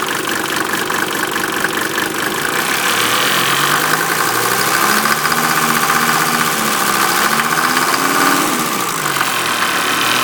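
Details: 1988 Mercedes 190D diesel running on waste vegetable oil, heavy idle with a loud metallic clang repeating about four times a second over the clatter. It smokes heavily and the cabin smells of diesel; owner asks if normal, cause unknown.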